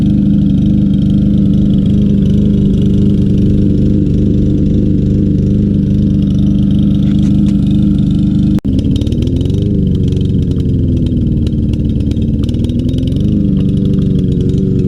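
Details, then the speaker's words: Troy-Bilt TB200 self-propelled mower, Briggs & Stratton 625EX 150cc, long stored; running after carb cleaner and tapping the carburetor, old gas, float possibly stuck. Single-cylinder lopes unevenly, speed sagging and surging; rough running, likely stale fuel. "hey the troy build is back to life here not running the best in the world let's keep adding a little persuasion to this"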